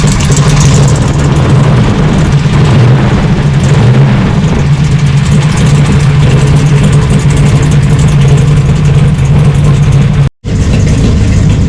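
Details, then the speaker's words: 1966 Plymouth Satellite 426 Hemi 4-speed, cold start with a new coil and no choke, still warming up: rough, loud idle with a light tinny rattle at the front; stethoscope finds valve covers and block quiet, so the rattle is toward the front. "So as it's still warming up, you can hear a rattle in the engine."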